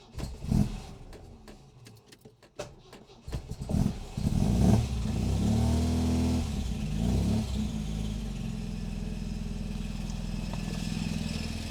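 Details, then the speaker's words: Supercharged MGB, first start after engine pulled, oil leaks fixed and supercharger camshaft fitted, wet cold day: irregular harsh clatters and grinding during cranking before it catches; owner suspects faulty starter motor pinion gear throwing in and out. "That does not sound good. Whoa. That does not sound good. I'm not sure what's happened."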